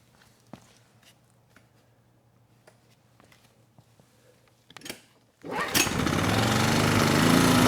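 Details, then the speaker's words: Honeywell HW2000i 2000 W inverter generator, about 20 years old: a few faint clicks, then fires and settles into a steady even drone, no misses. "okay good it starts right up so I'd say we're out of the woods on this one"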